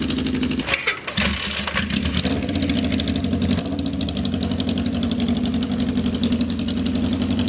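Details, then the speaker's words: 1979 Kawasaki KZ650 bobber build with fresh fuel and oil: catches after a few cranks and settles into a fast, even, raised idle because the choke was unknowingly left on. "I had a choke on that. I didn't realize that's the choke on."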